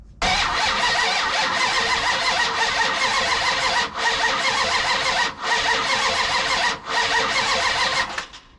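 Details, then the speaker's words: Vehicle with ignition box: starter cranks steadily for several seconds with pauses but never fires; no spark, ignition fault, pickup wires later jumped to produce spark. "Okay, there's no spark. Why is there no spark?"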